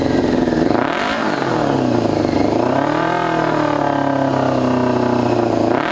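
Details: 2002 Yamaha YZF R6 carbureted four, restarted after sitting 6 years: throttle blips rise and fall unevenly with a lumpy, hollow exhaust note, sounding like it is not firing on all four cylinders; owner suspects a gummed carburetor or fouled plug.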